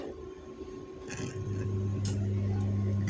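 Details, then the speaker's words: Harman Kardon audio power amplifier under repair, microphone held against the speaker. A faint, steady low hum rises with a few light clicks when switched to the lower input; the upper input has no hum. The hum is judged small and normal; cause unconfirmed. "suara dengung tapi dengungnya kecil dengan wajar kalau di atas nggak ada suara dengungnya"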